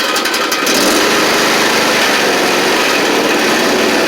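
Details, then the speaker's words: John Deere LA130 with Briggs V-twin, replacement engine with a few hundred fewer hours, oil changed, warming up: steady mower engine note on both cylinders, no stumbling, knocking or surging; normal running. "so you can hear it running good ready to rock"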